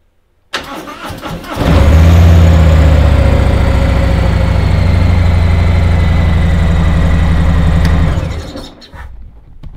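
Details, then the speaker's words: 2019 Harley-Davidson Tri Glide, battery at 12.4 V after sitting several days with alarm drain: the starter turns over sluggishly for about a second before the engine catches and idles; weak battery. "that was a little slow so the other day when i turned the key on and you heard that clicking that was not the starter button clicking i did not push the starter button it was just flickering the lights just when i turn the key on"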